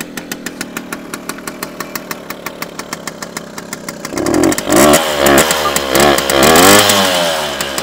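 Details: 1973 Jawa 50/21 two-stroke ticking unevenly at idle, then blipped revs that surge and hunt rather than pick up cleanly; rough, uneven running, owner suspects an air leak, unconfirmed.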